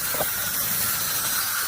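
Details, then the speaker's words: Irrigation winterization blowout: steady airy hiss with no water spitting from the open hose bib at the steel-screen irrigation filter, confirming air is flowing into the valve through the line. "But now I know I've got air flowing into this valve through that line."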